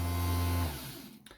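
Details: BMW ABS pump with fault code 5DF0 (pump unit faulty), brushed DC motor reassembled with bearing centred: strong, even low hum for over half a second, then a clean spin-down with no scraping or rattle; motor now runs freely.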